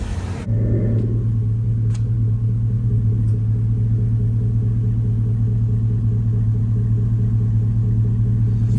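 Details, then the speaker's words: 2002 Cadillac Escalade, higher mileage, after replacing a faulty starter and topping off with clean oil: steady, even low rumble at idle with no knocks, misses or rattles; running smoothly and healthy. "all right you guys there you go she is purring purring purring like she should so man glad to get that knocked out you guys sounding good nice and smooth"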